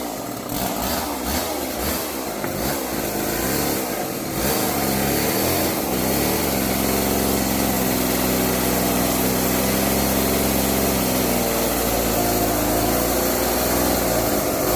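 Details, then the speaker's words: Old neglected Homelite chainsaw revived from seized, now with bar oil and loosened chain, cutting kindling: high two-stroke buzz surging and wavering; won't idle, cuts okay, could use a little carburettor tuning. "well conclusion runs don't run great could use a little tuning don't want to idle really cut okay"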